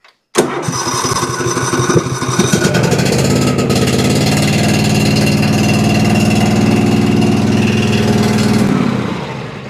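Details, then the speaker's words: Cub Cadet XT2 mower, MTD PowerMore fuel-injected V-twin, running extremely rough: loud, lumpy uneven beat on one cylinder; no spark on one side, ignition coil bad or grounded out. "And I get no spark whatsoever on this side. Either that ignition coil is bad or it's getting grounded out somehow."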